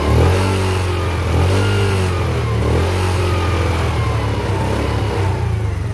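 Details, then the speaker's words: Yamasaki YM50 small single-cylinder engine after carburetor cleaning and fuel replacement, battery connected, in neutral, choke off: it catches and revs freely into a steady rising drone with no misses; running properly on first start-up. "Gas, it doesn't have much in it. It's running."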